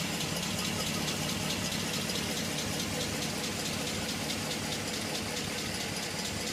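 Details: Pontiac G8 V8 idle after dealer installed new lifters: light rapid crisp even ticking over steady idle; lifter tick persists.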